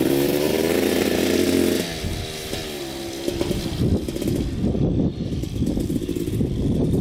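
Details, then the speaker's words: 2000 Suzuki RM250 two-stroke on first test ride after pipe fix, carb clean, new oil, fresh gas: crisp crackle picking up cleanly and settling back, no misfire or bogging; running great in first gear. "all right running great so far got here in the first gear"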